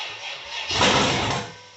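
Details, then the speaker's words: First fire-up of a rebuilt, cammed 6.0 LS swapped into a 1978 El Camino, with throttle added: a short rough burst of firing, then it sags and dies within about a second. Owner suspects low airflow due to the cam. "Yeah, she wants to run. Probably just not getting enough air because of the cam."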